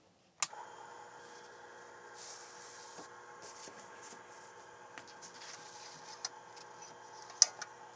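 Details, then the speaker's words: TRS-80 Model II 8-inch floppy disk drive connected to an XT-class PC, booting the PC from a newly written 8-inch disk: quiet spinning hum with scattered sharp head-seek clicks; drive working properly. "yes we actually have this pc booting off an eight-inch disc it's actually working"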